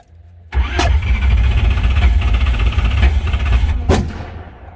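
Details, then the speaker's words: 1968 Corvette with a modified engine that banged and quit while driving, then cranked fast; fresh battery fitted. It catches with two sharp backfires; the ignition is retarded because the stripped distributor drive gear let it go out of time (a jumped chain was first suspected). "Wow. That was impressive. So that backfire acted as if the timing was out. So I'm wondering if the chain has jumped."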